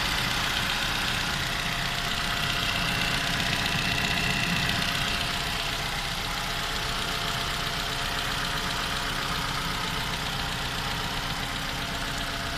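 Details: 2015 Toyota Camry 2AR, built December 2015, 16,500 km: steady cold idle with faint rapid ticking knock about four per second, heard cold for the first 10 minutes; source of the engine knock unclear.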